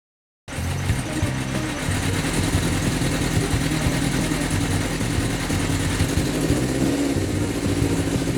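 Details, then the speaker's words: 2004 Yamaha XJR1300 (RP03J) started after about three weeks sitting: uneven, lumpy idle that never settles, sluggish, as if running on three cylinders; owner suspects lean fuel, plans a pilot jet change. "Started after about 3 weeks Idling is disjointed for some reason Very sluggish..."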